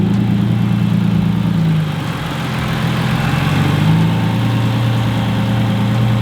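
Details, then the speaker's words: Subaru WRX STI with EG33 flat-six swap, on the dyno with cooling system bled and idle brought down by the tuner: deep, steady idle with even low thrum, no misses or hunting, slightly smoky; normal idle. "It's idling way fucking better already."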